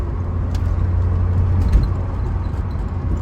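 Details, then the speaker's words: 1987 Saab 900 Turbo, 38 years old, still warming up: pulling from second gear around 3,000 rpm, the turbo audibly spools and boost comes on, climbing through the revs faster; low, even pull with no knocks or rattles, normal healthy boost. "Can hear the turbo spool up. Second that turbo boost comes on, starts climbing through the revs a lot more"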